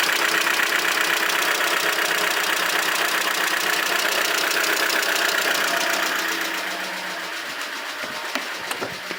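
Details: Aircross engine with the oil warning light on; steady rapid ticking knock, about four a second, over the idle, fading as revs drop; knocking with low oil pressure warning.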